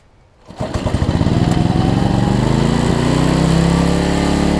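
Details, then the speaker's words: Homelite LR4400 generator after governor readjustment, having earlier raced and dropped rpm: the engine catches, climbs quickly to speed and settles into a steady, even note with no hunting or surging; the governor is now holding speed. "Oh, guys, I just hate when the governor gets messed up on these things, but I think I got it now."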